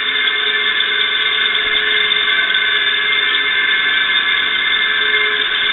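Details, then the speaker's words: Electric motor rarely run and of unknown oiling history, plugged in again after oiling: a constant shrill high whine with almost no low rumble; noise seems to come from the bearings, especially the rear one, suspected dry or worn. "yeah a lot of that noise sounds like it's coming from the bearing and the bearing in the rear"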